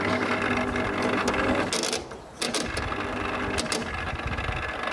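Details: 1981 Brandt dishwasher: rough, uneven whirr with rattles from the main wash pump motor, which has a worn rear bearing and needs a new seal; the drain pump also needs a new seal, otherwise the machine works.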